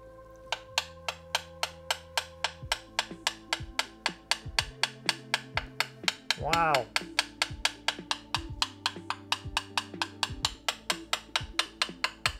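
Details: Carbon bike frame tube after DIY crack repair with carbon repair kit, no compression left: crisp, bright coin taps about three a second, each ringing clearly with no dull or dead spots; repaired tube sounds solid.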